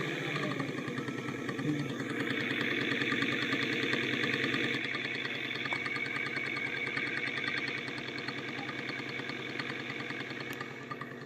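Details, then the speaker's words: E-bike "differential motor" running on the bench: fast regular ticking, about three per second, over the motor whir, as if something catches inside; bearing suspected though it shows no play, motor not yet opened. "Kung maririnig nyo, no, parang meron siyang bumabatiktik, parang may sumasabit sa loob. At isa sa chine-check natin dito kapag ganito yung bearing."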